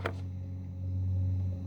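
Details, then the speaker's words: New Minn Kota Ultrex trolling motor: a click, then a steady low hum that keeps running after switch-off. The momentary button sticks on sporadically. "i don't know if you can hear that but it's running and it shouldn't be see there it is running and it's it's it's it's momentary uh you know it the momentary buttons is sticking on and it's very sporadic"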